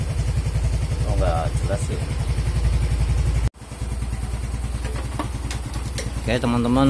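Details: Yamaha Mio M3 scooter whose starter button gave no response, tested by jumpering the single starter cable with the ignition on. Quick regular chuffing about four per second, a brief break, then a rising rev as it fires; starter engages.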